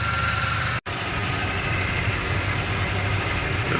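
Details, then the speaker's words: Ford F-250 Super Duty 6.2 V8 after repair of a valve problem causing multiple-cylinder misfire: steady even low smooth idle rumble, no stumble or shake, engine not moving; normal idle. "Esto más serenita, mi raza. Al puro 100. No se mueve nada."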